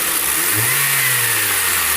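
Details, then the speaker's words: Honda Civic 2013 engine revving up and settling back after the accessory-belt rattle (heard with A/C on) was fixed by replacing the whole tensioner assembly; runs clean with no belt squeal or chirp. "ai galera perfeito resolvido aí tá só que nós tivemos que trocar o conjunto todo"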